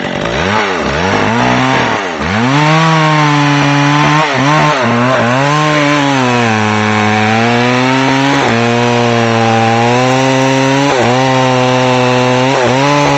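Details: McCulloch Pro Mac 610 chainsaw on test cuts after clutch inspection and chain sharpening; pitch sags as it loads into the cut and climbs when eased off, pulling strongly without bogging, four-stroking when lifted out of the wood; running great.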